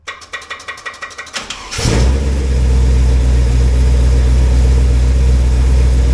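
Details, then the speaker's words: Cold engine at about 40°F, run briefly with no water pump after a wiped flat-tappet cam lobe, oil pressure confirmed; cranks about four times a second, fires, steady even idle, no clacking or knocking. "well it runs it sounds good it ain't clacking it ain't knocking it's idling you know as you expect the cold engine"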